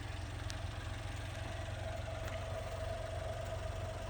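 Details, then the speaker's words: 1995 Honda Acty SDX 660cc 3-cylinder, 106,000 km, after timing belt and full maintenance, adjusted to factory specs. Low, steady idle with no misses, hunting or knocking, at what the owner believes is Honda's 800–900 rpm spec. "so i don't know if you can hear it but this thing is idling exactly where it's supposed to be idling i believe honda uh requires it to be between eight nine hundred rpms"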